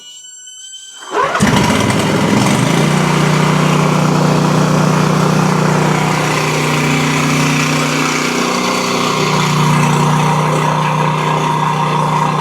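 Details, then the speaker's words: Exmark Quest zero-turn mower, Briggs Intek V-twin, after a valve guide repair for bogging and loss of power under load; run on a jump pack. Fires after a brief crank and settles into a strong even beat with loud muffler noise, smoking on one side: running normally on both cylinders. "Got a lot of muffler noise for sure. Smoking real good from that one side, but you can tell it's got plenty of power."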